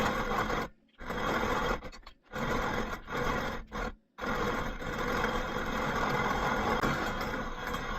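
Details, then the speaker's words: Grainmaker 99 hand grain mill after the wheat berries run out: harsh, raspy scraping rising and falling with each crank turn, with brief gaps, as the empty burrs grind metal on metal. "And you'll hear a change in the tone when you're out of wheat berries. Now it just sounds like you're grinding metal together, which is exactly what you're doing."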